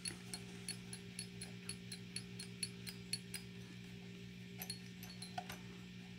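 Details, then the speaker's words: Latitude Guitars Cardinal headless guitar: sharp metallic pings, about three a second, as the string is bent and slips out of a worn groove in the zero fret. "you can hear the string moving around on that zero fret and there's clearly a groove in the zero fret that's causing that sound"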